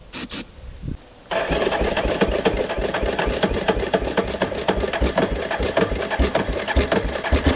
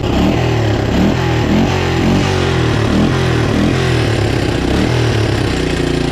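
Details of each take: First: Moto-4 Big Bear 350 ATV that sat in the woods for years, started on starting fluid with a new fuel filter: the single cylinder holds a fast, busy tick with no throttle input. Idle is far too high from a destroyed throttle cable. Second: Moto 4 Big Bear 350 four-wheeler that sat in the woods for years, after a throttle cable fix and idle adjustment: a single-cylinder thump rises and falls cleanly with throttle, no stumbling or popping; runs like new.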